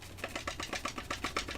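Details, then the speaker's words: Apple HomePod being repaired, tipped by hand: sharp clicking rattle, about seven taps a second, from a cracked tweeter and at least one other driver broken loose inside. "You can hear if it's not the cracked one. There's definitely at least one other one that's broken loose in there."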